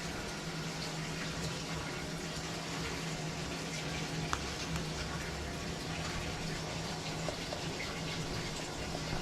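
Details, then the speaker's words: Frigidaire laundry centre washer after the repair of a unit that would not start and only locked the lid: steady rushing water with a low hum fills evenly, with no leakage; normal fill. "it has been filling it filled so no leakage everything seems okay"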